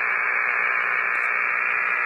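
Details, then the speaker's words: Hammarlund HQ-170-A receiver on an outside antenna: loud, steady rushing hiss with no signal, precipitation static, before the noise blanker is switched on. "Before we get started, I just happened to notice that when I hook up to an outside antenna, we're getting some precip static, and it's pretty noisy."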